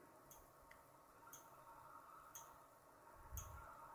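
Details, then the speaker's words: Desaturation testing of an IGBT inverter for a Nissan Leaf motor with a 2.5 V zener, around 150 V: faint sharp ticks about once a second over a quiet hum as desat protection switches off on each test pulse. "this is actually where the um dsats kicking in turning off that's why you see the spike"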